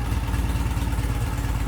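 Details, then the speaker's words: 1972 Norton twin motorcycle, deep even thumping idle with no misses or clatter, right after starting on the third or fourth kick; choke shut off quickly and it dropped to idle without the usual warm-up; puffing some smoke. "And listen to it. Yeah. It's freaking gorgeous. Yeah. I shut the choke off very quickly, and it dropped into idle very quickly."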